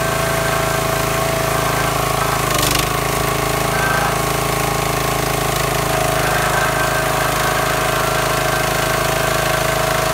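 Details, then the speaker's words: New wood splitter that quit from water-contaminated fuel, after draining and flushing the tank and refilling with clean fuel: small engine holds a steady, even drone with no sputter or miss as before; running smoothly. "now you can hear the splitter running it's not spammering and missing like it was before"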